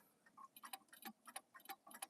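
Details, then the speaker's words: Pendulum clock movement under repair: loud slightly uneven tick-tock about three beats a second with crunching rattly clicks; noisy ticking. "I don't know if you're still here, Jesse, but you can probably hear that ticking sound here."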